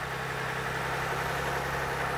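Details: Car idling during an alternator ripple test: a smooth, even low hum with no knocks, misses or whines. Normal idle.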